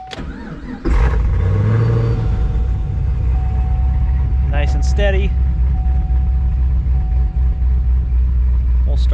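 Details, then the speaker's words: Cammed ProCharged 5th-gen Camaro with calibration-related idle issues (surging and dying around town), after minor calibration adjustments with fueling not yet fully tuned: engine catches after a brief crank and settles into a steady, even idle with no hunting; it no longer dies. "got a nice good rhythm so far and we're gonna drive around town and see how well it idles and how well it drives it doesn't die anymore"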